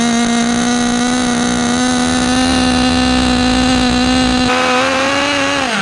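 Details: Restored 2006 OFNA Mutillator nitro RC buggy on first run after revival: high buzzing note held fairly steady then sagging off, soft and smoky at the top; running rich, still needs leaning out.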